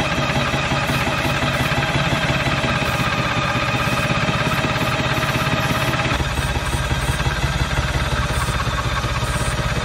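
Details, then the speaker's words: Bantam C350 crawler crane's Detroit Diesel (believed 3-53) two-stroke after about 20 years sitting, just started with starting fluid: loud busy fast even beat hitting on all three, no misses; healthy. "uh to me it sounds good i don't know oh yeah it doesn't sound bad at all it's hitting on all three"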